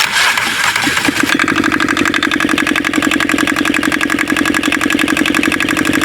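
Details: Aixam Crossover microcar diesel after replacing the variator with an aftermarket part and a new accelerator cable, which cured the noise: engine catches and settles into steady even diesel clatter, no knocks, slipping or squeal; running healthy.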